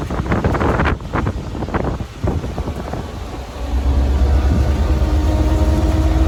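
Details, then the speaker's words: 1934 Ford Model BB dually truck with flathead V8, driving: wind and handling noise, then a steady low drone with clear gear whine rising slightly with road speed; gears drown out the engine, normal for this truck. "well you know you really can't hear the engine in this thing when you drive because the gears make the most noise as you can hear so no music"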